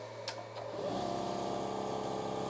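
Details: Milwaukee M18 cordless air compressor on 18.2 V wall power via a plug-in adapter, starting from 0 PSI with the petcock closed: spins up to a steady, even hum with a fine rapid pump pulse, slight voltage sag, about 310 W; running normally.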